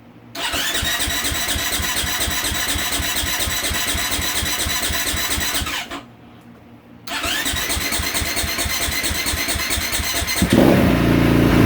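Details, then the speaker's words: 2022 KTM 450 SXF after transmission repair (5th gear failed), first start on choke, no coolant yet, fuel line had been disconnected and sitting: single cylinder catches into steady thumping, dips briefly, recovers; healthy. "there it is first start up they can take a while to start up because we had the fueld line disconnect it's been sitting a while the fuel has dried up and the fuel line the fuel injector and all that"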